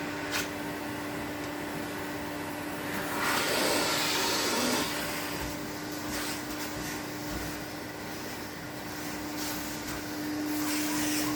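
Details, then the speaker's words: 1972 Electrolux Z310 cylinder vacuum after cleaning very dirty fans and greasing bearings, formerly very noisy: smooth steady mid-pitched motor hum with soft airflow rush, no rattle or bearing whine; normal running. "So we'll give her a quick run around just so you can hear how quiet the motor is."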